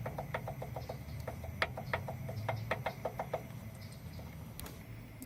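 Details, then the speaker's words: Subaru WRX turbo, downpipe removed, car jacked up: light irregular ticks and clacks as the shaft is rocked by hand; decent front-to-back shaft play and a little side-to-side, suspected blown turbo. "Yeah, so as you can hear, it has I guess a decent amount of front to back shaft play, and there's a little bit left to right."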